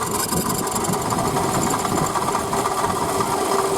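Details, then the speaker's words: 2008 Toyota Camry (XV40), 2AZ-FE 2.4L, 176,000 km, original water pump and idler rollers: rapid uneven knocking at idle that worsens with full belt tension. Failing water pump bearing; pump, belt and coolant replaced. "становится меньше и думаю что это помпа разваливается Вот раз полная натяжка пошла звук выраженный стал"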